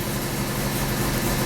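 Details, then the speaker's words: 1994 Alfa Romeo 33 Imola 1.4L fuel-injected petrol, 112,000 km; all four cylinders firing, steady even low rumble with no misses; normal idle. "now four the four cylinders will be fed spark consistently and normally and you'll see that the engine is a lot smoother it starts right"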